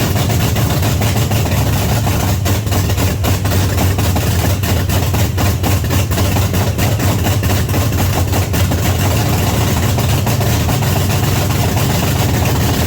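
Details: 1979 Pontiac Trans Am, overhauled 400 V8 first start, loud open-header idle with deep slightly uneven burble and scattered pops; very rich, smoking from carburetor, floats suspected set too high.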